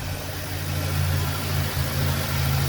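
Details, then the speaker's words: Cold engine just after first start, bearing knock gone once oil pressure built: low, even hum with smooth steady beat and no knocking; engine idles round and healthy. "Motor aqui, ó. Redondinho."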